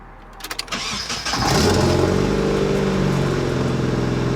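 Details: 30-year-old Nissan 240SX S13 after replacing the fuel pump and sending unit, pump primed about three minutes: short cranking, then the engine fires quickly, faster than normal, and keeps running rather than dying as before; idle still rough, normal start.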